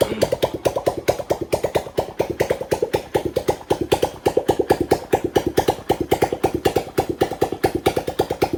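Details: Homemade petrol off-road buggy, kick-started after the fuel system was fully connected: choppy single-cylinder popping at roughly two beats a second, slightly uneven; it idles and picks up when revved, just wanting more carb tuning.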